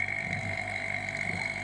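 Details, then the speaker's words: Vacuum pump evacuating a refrigerator system during installation/repair; steady high whine over soft low hum, no surging or gurgling; normal running at deep vacuum. "Nah, kalau dia sudah di angka yang hijau ini min 30, itu menunjuk salah satu indikator proses pemvakuman selesai."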